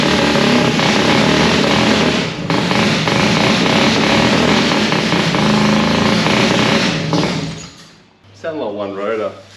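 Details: Mazda RX4 with newly fitted 13B rotary, carburettor, fresh battery, first start: rough, lumpy running with an uneven pulse about four per second; one rotor not firing, coil or plug suspected, not confirmed.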